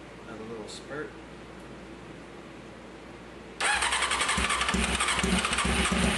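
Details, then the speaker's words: 1995 Honda CBR F3 with new plugs and oil, fuel poured into cylinders, fuel pump possibly not working: quiet, then rough cranking burst with uneven pops catching briefly; not getting gas, fuel starvation likely. "All right. We're not getting no gas. See what we got here."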